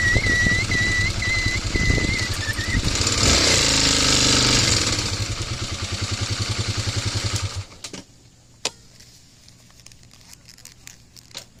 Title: brake squeal?